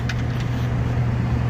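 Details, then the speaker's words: Heating system after burnt wiring was repaired and a new contactor fitted, started in heat mode with heat strips drawing 17 amps. A couple of faint clicks at start, then a steady low blower hum, even and smooth; normal blower operation. "all right i just got the disconnect in i heard it click on blowers on"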